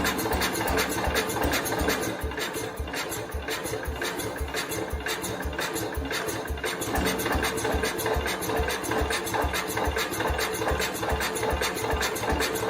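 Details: 1969 Cub Cadet 105 after carb screw readjustment, given throttle: lumpy uneven firing two or three beats a second, won't hold a run on its own; owner suspects someone timed it wrong, engine to be pulled.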